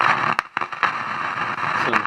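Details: 1965/66 Nordmende Transita Automatic radio; loud crackling hiss with irregular dropouts on medium wave, no clear station, noisy on every band; noise suspected to come from a faulty diode.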